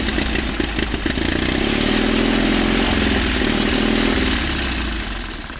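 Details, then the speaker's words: 1950s Caterpillar D4 bulldozer, sat 20+ years, blowing white smoke while cranked by pony motor: cranking whir as the diesel nearly catches, then the pony motor pinion kicks out early and the whine drops away; owner unsure if that is normal. "So every time it gets starting just a little bit, it'll kick out the pinion on the pony motor, and then I got to shut off the pony motor to get that pinion to engage again."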